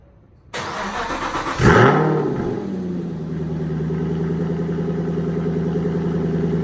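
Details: 2015 Aston Martin Vantage GT V8 cold start after Fabspeed X-Pipe install: flares then settles into deep, steady burble with no puffing or ticking; normal, sealed exhaust note.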